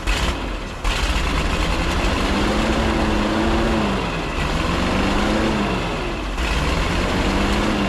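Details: 1950s Ford F5 tow truck, abandoned and sitting outside for a long time, idling on its own after carburetor work, with fuel switched back to the truck's tank; low steady rumble, slight speed drift and air hiss, normal idle.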